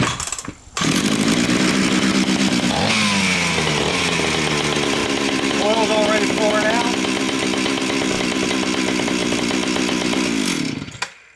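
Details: Stihl 031 AV chainsaw just fitted with a new oil pump, started before the bar and chain were refitted; catches after a few pulls, then holds a steady, even two-stroke buzz with clean revs; normal running.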